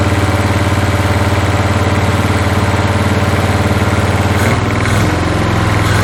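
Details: 1981 Toyota Hilux RN46 4x4 with 18R-C engine, freshly rescued, running off a hand-held fuel can: loud uneven idle near four beats a second, changing character toward the end, backfiring; owner guesses timing slightly out, unconfirmed.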